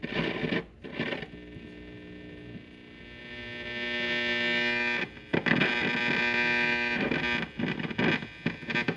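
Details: Zenith tube radio after its rectifier was replaced with a solid-state rectifier: loud steady buzzing hum with bursts of crackle; dirty contacts suspected.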